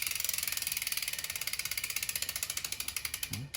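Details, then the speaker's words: Mountain bike wheel spun after realigning the hydraulic disc brake caliper over paper shims: only quick freehub ticks, about fourteen a second, slowing as it coasts, no rotor rub or scrape; rubbing fixed. "sounds all right. Well, that sounds even better backwards. I'd say that fixed our problem."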